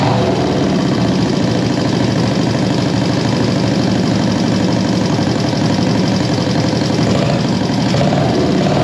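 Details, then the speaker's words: 1973 Honda CB350G twin on newly fitted Mikuni VM28 carbs: steady, fairly even idle with regular exhaust beat; it's a runner, carbs need fine adjustment and a leaky petcock still to sort out. "hey guys so there you have it it's a runner"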